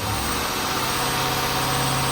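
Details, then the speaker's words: Lincoln idling: steady airy hiss over a low hum from the rear; several vacuum leaks found, including a big one at a fitting whose nut was not tightened down, and a hose. "What's that? Is that a vacuum leak back there, man?"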